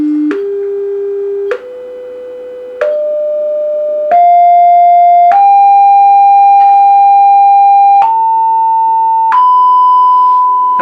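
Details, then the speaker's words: Music & Sound MC602 intercom master after a distortion repair, with a generator signal fed in and a scope on the speaker output: pure test tone stepping up in pitch to about 1 kHz, each step clean with no buzz, crackle or rasp; healthy amplifier. "if we send the signal in there's our sine wave as clean and as perfect as it possibly could be"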